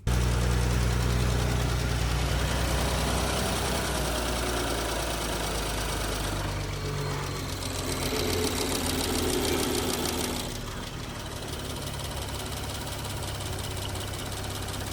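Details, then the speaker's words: 2019 Porsche Cayenne S 2.9 V6 twin-turbo (EA839) idling: steady light tick, about three per second; suspected failing rocker arms, same issue as in Audi RS4/RS5 engines, not yet confirmed before engine removal. "And because it's similar, we of course have the same rocker arm issue on this engine. Well, that's what I believe it will be from the noise it's making."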